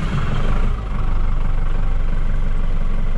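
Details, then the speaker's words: John Deere 5410 diesel tractor that lost all power in the field, on hand throttle with no load: steady idle sags then recovers without any throttle change; fuel starvation, owner suspects algae-contaminated fuel. "Starts up. Hear that losing power? Maybe it's going to come out of it, but I don't believe it."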